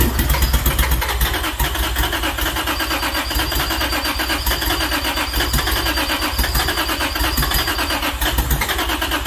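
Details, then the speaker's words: Formula D drift car, first crank on its new engine setup with a re-pinned ECU harness after sitting seven years: fast steady cranking churn, almost catching with scattered pops and bangs; trying to fire but won't run cleanly. "oh man it's trying it wants to go oh then pops and bangs"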